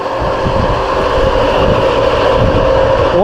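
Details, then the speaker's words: Outdoor A/C unit at startup after a handyman had added leak stop and the system had possibly frozen up; the compressor is running and the fan turns the right direction, and the unit has a start capacitor. A loud, rough drone with a steady hum throughout, abnormally noisy; cause not confirmed. "Alright, let's go turn it on. Holy crap, that sounds terrible."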